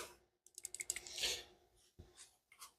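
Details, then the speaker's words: Old PCV valve pulled from an SN95 Mustang, shaken by hand: quick, light metallic clicks showing its check valve moves freely up and down. "it does rattle you can hear rattling so it does flop up and down in there"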